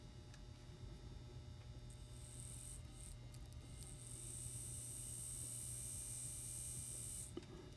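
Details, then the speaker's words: N scale Atlas SD35 locomotive motor bench-tested after cleaning and lubrication, leads on top, voltage raised to check for rubbing: faint smooth hum and thin whine rising with voltage, no scraping; runs nice and quiet, normal. "so that sounds very good actually I'm gonna give it just a bit more voltage that's going to allow me to see if it's rubbing"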